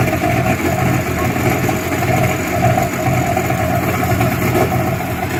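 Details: Yamaha WaveRunner two-stroke after top-end rebuild with new piston and rings, running on flushing water: runs smooth and even, picking up cleanly when blipped, no rattles or misfires; sounds healthy.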